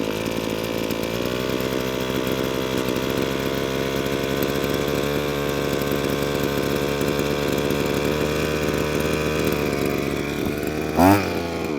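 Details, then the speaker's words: Line trimmer two-stroke after fitting a cheap Amazon replacement carburetor, off choke: revs up clean and holds a steady buzzing high note without surging or stumbling; running properly, better than before. "it's already doing more than what it did last time"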